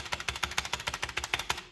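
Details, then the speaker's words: NZXT Function keyboard with stock linear switches: fast, clacky typing with hollow, rattly spacebar, from bone-dry, unlubed stabilizers. "I think there's a few reasons for that, primarily being the fact that these stabilizers are bone dry. There is not a drop of lube on these things, and it shows. You can hear the hollowness, you can hear spacebar rattle."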